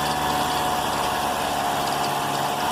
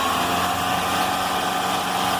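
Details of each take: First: Thin, high chirp over a steady idle from the front of the car engine, like a cicada; owner suspects a plastic part touching the serpentine belt or a faulty alternator bearing; a 13 mm wrench is then put on the alternator bolt. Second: Car engine after fitting a new crankshaft accessory belt: smooth steady hum with no squeal or chirp; the alternator bearing is fine, the old belt was the cause of the noise, now fixed.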